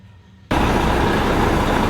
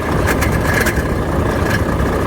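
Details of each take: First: Volvo FH13 truck diesel after repair of grinding, knocking and squeaking in the engine (worn bearing replaced, parts reassembled): engine starts and runs steadily with no grinding or knocking, noise gone. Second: Volvo FH13 diesel idling: irregular sharp knocks, grinding and faint squeak from worn fan hub bearing; viscous fan clutch internally welded/seized.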